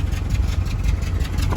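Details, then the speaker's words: Mitsubishi Triton running on gas, shaking, stumbling and lacking power pulling away in 1st and 2nd gear: loud, uneven idle that lurches and stumbles, suggesting a faulty gas injector. "อื้อหืออาการนี้น่าจะมีหัวเสียเลยนะครับ"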